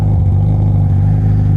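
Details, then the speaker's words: Yamaha R1 (5PW) with Coffman slip-on, servo delete and K&N filter, still warming up: low, lumpy, uneven idle that sits too low. Owner suspects the idle needs turning up; cause unconfirmed. "It's idling. Yeah, it's idling like shit. The engine's still warming up, so maybe it gets better."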